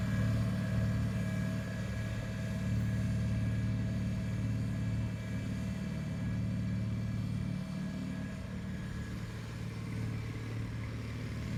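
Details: 1974 Bolens HT20 garden tractor on outdoor test run after replacing a coil burned out when the ignition was left on after a stall (fuel issue suspected): steady even drone, no misses or surges; running smoothly.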